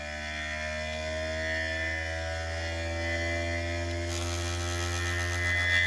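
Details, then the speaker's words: 3D-printed maglev rotor after pulling the coil back and letting it center on the back plate: smooth, steady low hum with clean overtones, no rattle as before; normal running hum. "it makes that nice hum not that rattle"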